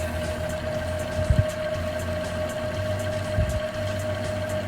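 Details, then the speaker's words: A client's VHS tape that would not play past a certain point rewinds in a Panasonic AG-1970 VCR with a smooth, constant whir at one steady pitch and no catching, flutter or scraping, winding evenly. "sounds like it's going on pretty evenly"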